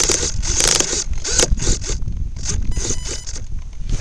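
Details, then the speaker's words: A-10 RC jet after high-wind flight and rough landing; on restart left servo died with ragged stop-start buzzing and grinding as teeth slip; stripped servo gears. "Strip servos, and as I just restarted it, my left servo just died right there, so maybe it's a good thing I hit that tree."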